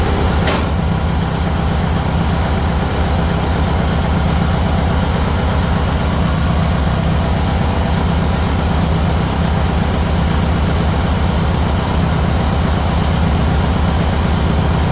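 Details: Huskee riding mower bought second-hand, battery not charged, run before the blade engagement test: steady, low single-cylinder thumping idle at about 160 beats a minute with no misses or knocks; runs fine.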